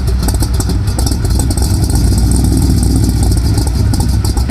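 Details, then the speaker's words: Chevy K5 Blazer squarebody V8 with headers, idling after a fan replacement: a deep, uneven, lumpy burble close to stalling. The owner plans to adjust the timing, but the cause is not confirmed. "gonna stall I gotta adjust my timing I'm gonna try doing that"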